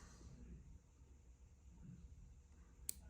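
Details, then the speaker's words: Weller WRCPN temperature-controlled solder station (1980s design): near silence while heating, then one sharp click as the tip reaches set temperature, which is normal. The real fault was in the power connector/cord, and a new nichrome heater was fitted although the old one worked. "So if you give it some time here, it'll start to click. Let's see what it does. And that's when you know you're up to temperature."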